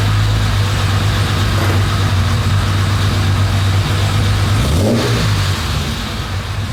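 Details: Jaguar E-Type Roadster 4.2, owner-restored: deep, even six-cylinder burble with one clean rev blip around five seconds and no knocks or misses; a healthy engine at normal idle and rev.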